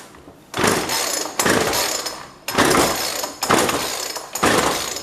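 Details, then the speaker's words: Jonsord 2036 Turbo chainsaw bought from a neighbour, no primer, choke on: five sharp recoil pulls about a second apart, each fading with no firing at all; no start, carb getting no fuel. "I don't even hear it trying to start we might have a problem"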